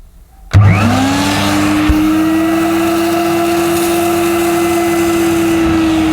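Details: Mid-1990s (c.1994) Hoover Aquajet S4488 wet vacuum cleaning up spilled solution: motor whine climbs quickly then holds a steady even pitch, no labouring or surging; suction healthy, solution flow weak, owner suspects kinked or blocked solution tube.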